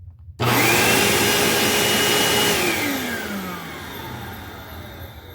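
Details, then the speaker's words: 19-year-old vacuum cleaner motor after replacing its bearings and polishing the commutator, cover on: spins up to a clean, even whine and winds down smoothly after switch-off, no dry scraping or rumble; bearings sound fine. "I might take it off just to see how much the motor arcs, but honestly, this sounds pretty good."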